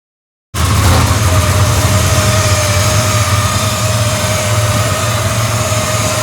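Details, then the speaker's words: Chevrolet S10 drag truck engine just after head reinstall and torque-down, no coolant or belt, boost tube off, open headers, fired up briefly: steady even low rumble, no knocks or misses, sounds normal. "well header don't sound too bad sounds normal"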